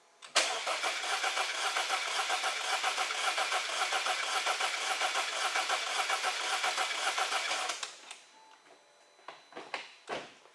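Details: 2014 Audi A6 2.0 turbo four-cylinder, plugs and coils already done: steady cranking about eight seconds with one weak beat per cycle; no compression on cylinder 1, crankcase pressure spikes, broken piston ring lands.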